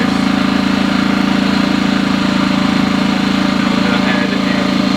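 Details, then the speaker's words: EcoFlow Smart Generator, 1800 W gasoline, just started, running with no load, claimed 13-hour runtime: steady even drone at one pitch with no misses, surges or hunting; normal no-load run. "obviously that's with no load on it but it's saying it'll run for 13 hours"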